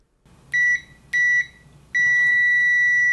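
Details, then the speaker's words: Uni-T UT161D multimeter continuity test: two quick high beeps, then one long unbroken tone on rapid probe taps. The beeper latches erratically, beeping while the display goes red then green, which is abnormal. "and you notice it beeps then it goes red and then it goes green and beeps so I it's just that's too weird too weird and too not normal"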